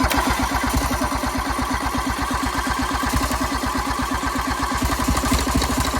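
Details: 1986 John Deere 330 garden tractor diesel, found in woods, started after bleeding fuel lines with glow plugs removed and throttle low; steady rapid chuffing as it turns over and catches on its own: diesel engine starting.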